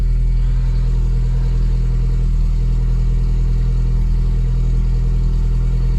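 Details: Mk2 Golf 1.6 automatic with Weber carburettor, cold start with choke fully on after choke adjustment, battery weak: smooth, even low idle with no misses, knocks or surging; running healthy.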